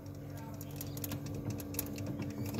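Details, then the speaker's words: Sharp two-door refrigerator, type 1-4 defrost timer recorded up close: once the bimetal reads cold (evaporator frozen) and closes its circuit, the timer starts with a steady low hum and fast ticking as its gear turns: normal defrost timer operation. "timer 14 ini mulai bergetar tuh bisa diekatin re ada suaranya ya dan ada putarannya tuh ya gearnya berputar ya"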